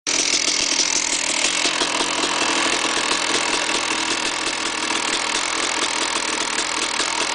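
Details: KTM 380 SMR two-stroke at fast raspy idle: dense uneven rattle over the exhaust buzz; bad engine noise, cause unclear.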